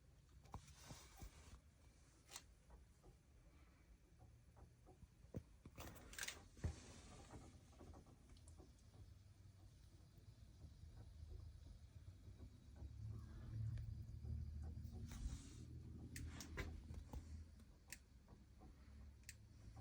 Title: weird noise coming from main water valve.